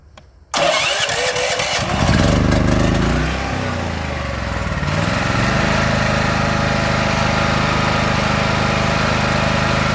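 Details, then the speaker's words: Predator 8750 W inverter generator fitted with a Nash tri-fuel kit, gasoline tank and carburetor drained, running on propane: quiet, then catches within a couple of turns and settles into a steady, even run. Normal start and idle on propane. "I've already cranked it up, let it run. It runs good."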